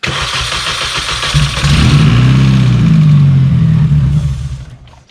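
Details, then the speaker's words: R53 Mini that won't start after refuelling from cans; cranks, catches and runs briefly on cold start spray into the air intake, then fades out, proving no fuel delivery and a fuel-system fault. "okay it's a fuel system machine for sure"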